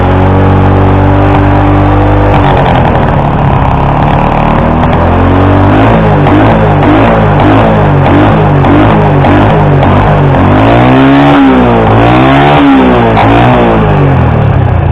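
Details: Flooded small single-cylinder motorcycle after draining water from the carburetor and opening the fuel tank cap: steady idle, then clean revs up and down several times with no stumble or cutting out; fixed.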